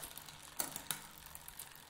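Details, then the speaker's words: Bicycle drivetrain spinning on a stand while a rear derailleur is set up: light, irregular metallic ticks from a misadjusted limit screw, fading as the screw is backed off. "it's sitting down a little bit still no noisy you still hear that little tick back it off they're a little bit noisy there we go"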